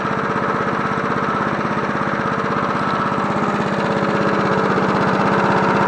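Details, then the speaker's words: John Deere NO20K push mower (1980s frame), free Marketplace pickup after cleanup, final startup run on choke: even, crisp single-cylinder beat at steady fast pace, slowly picking up slightly, no misses or knocks; runs healthy. "Sounds pretty good for a John Deere. I don't know how close I can get it to idle. That's not bad."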